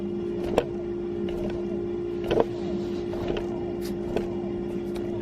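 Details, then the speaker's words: Hub motor with a busted spring washer, after swapping rotors (bad rotor on the good stator): even, mid-pitched hum with only a few faint ticks; runs fine, so the noise is suspected to come from a damaged stator. "that sounds fine there's a something a little something here but that might be nothing in there"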